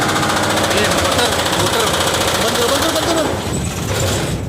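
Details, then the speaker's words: LG 7.5-ton standing air conditioner outdoor unit running: rapid irregular banging and clatter about four hits per second from a broken condenser fan blade striking as it spins; it ran smoothly after the condenser fan motor and blade were replaced. "इसका outdoor से आवाज आई है ठीक है अभी हम लोग ने चालू किया हूं देखते हैं ऑर्डर के पास जाकर कैसा आवाज आता है क्यों आवाज ए रही है"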